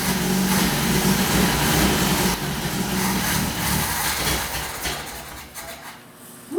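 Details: Saab Sonett V4 with the valve covers off, throttle opened slowly; timing had been found firing 15–20° after TDC. It catches and holds an even idle with light valvetrain patter, then winds down, with no knocking. Normal running.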